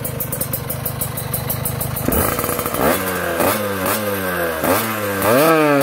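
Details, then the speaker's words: Kawasaki Ninja 2T two-stroke after engine refresh with special OB block, original piston pin: crisp idle with clean repeated throttle blips, no popping or exhaust leak; runs very smooth, normal running. "Oke aman ya kita cukupkan aja Ini suaranya Udah jelas banget halus ya tuh halus banget oke"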